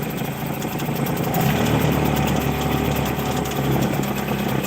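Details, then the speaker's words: Hangkai 6hp two-stroke outboard (believed Mercury 5hp knockoff) after carburetor rebuild, idling: steady, fairly even beat, no stumbling or rattles; running pretty good, though shift linkage slightly off and mixture possibly half a turn off. "Okay. So, it's running pretty good."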